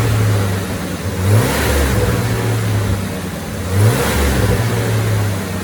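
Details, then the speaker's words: 1990 Ford F-150 4.9L 300 straight-six after installing serviced fuel injectors: two clean, smooth rev climbs with steady pull, no misses, knocks or stumbles; runs great with more power, accelerating smoothly; normal acceleration. "So the F-150 ran great. Had more power to it, accelerated very smoothly."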